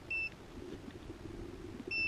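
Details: HEXA hoverboard powered on after opening it and reassembling; two short, clean high beeps about two seconds apart over faint rumble; normal power-on beeps.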